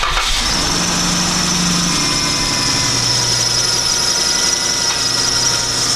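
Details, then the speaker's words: Serpentine belt squeal at idle: a steady high-pitched squeal that stops immediately when water is sprayed onto the ribbed inside of the belt, pointing to a bad belt rather than a pulley or tensioner. "just performed the water test on this car and as you saw when we applied the water onto the inside of that belt the squeaking noise immediately stopped so that's uh that's going to point us in the direction of it being a bad belt"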